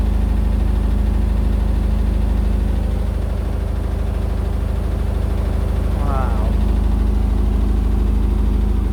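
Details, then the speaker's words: Indesit BWE101683 washing machine on a spin-and-drain after a push-and-wash cycle with 1000 rpm final spin: heavy steady low rumble with rapid pulsing throb and rattling. The drum is unbalanced because the floor under the machine is uneven and the flooring has come out of its slot. "but i do believe that the ground is really unbalanced right underneath the washing machine"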